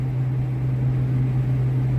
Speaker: It's making all that noise and it's pulling 2.8 8 amps. So, with the noise and it being over the amperage that it's supposed to pull, lets me know that this fan is bad.